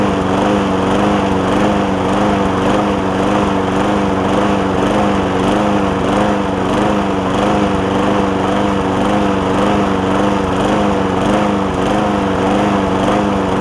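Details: John Deere JA60 push mower after stuck-valve fix, air filter refitted: wavering drone rising and falling about twice a second; surging, debris in a carb jet suspected.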